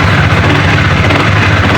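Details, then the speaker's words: Honda CBR150R, rarely ridden, started after its starter motor was replaced to cure a no-crank with only clicking: even, steady low hum with no knocks or misses, starts cleanly and idles smoothly. "mantap mesinnya masih halus ya teman karena memang ini motor jarang dipakai ya"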